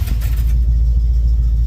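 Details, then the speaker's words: 1971 Chevrolet Monte Carlo V8, barn find revived after about 30 years, with varnished tank and suspected partly plugged fuel sock: deep, steady low rumble through the mufflers with an even beat and no knocks or misses; normal idle, nearly ready to drive. "nice little Rumble about ready to go for a drive I think it'll run good"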